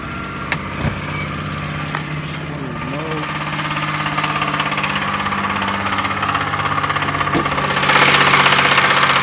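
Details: 2002 Buick Century Custom 3.1L V6 at idle: steady idle with a regular knock about four times a second that grows louder as it runs; owner cannot tell the cause; engine knocking at idle.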